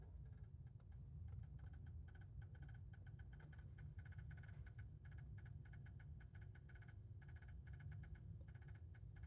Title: Cambridge Audio AXR100 Clicking Noises